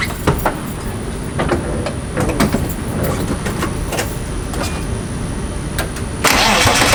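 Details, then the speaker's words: Cold start and cold idle with a Satch clutch, throwout bearing and aluminium flywheel: engine cranks and catches, then a loud, uneven diesel-like clatter, worst when cold; not rod knock but a noisy clutch release bearing. "That is not rod knock, it's a throw bearing. It sounds very loud, I don't know why. I have a Satch throw bearing with a Satch clutch and a Finanza aluminum flywheel, and it makes a lot of noise, especially idle when it's cold."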